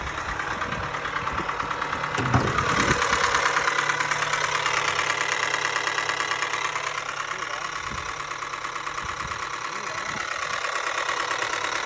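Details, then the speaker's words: Mazda Miata on its second start after a timing belt kit job: petrol engine idles with a loud, hard knock about three times a second; first thought to be rod knock, later doubted, possibly a timing belt fitted wrong. "So as you can probably hear and tell, that was a terrible sound. I at first thought it was rod knock, which later, after thinking about it and talking to some people on Facebook, I realized that you can't really get rod knock from doing a timing belt kit."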